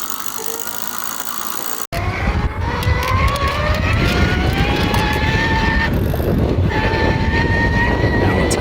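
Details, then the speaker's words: E-bike motor still running but excessively noisy: loud whine climbing in pitch as it spins up over a gritty running noise, suggesting dry or worn gears; compare with an identical motor. "And lastly, if your motor is still running okay, but it's making an excessive amount of noise, that usually means you might have dry or worn our ears like in these examples."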